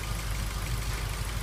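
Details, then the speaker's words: 2003 Ford Focus 1.6 petrol at idle: uneven stumbling beat with a regular dropped pulse; code P0302, misfire on cylinder 2 (8,223 misfire counts), faulty injector found. "Let's start off, we'll plug a scanner in and we'll have a look at what codes come up. You can hear the misfire there."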